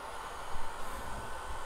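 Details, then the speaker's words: Unimat SL-1000 lathe with an upgraded 150 W DC motor and PWM controller, reversed to clockwise at full speed: steady, even hum and hiss with no knocking, grinding or surging. Normal running. "full speed all right so everything works out"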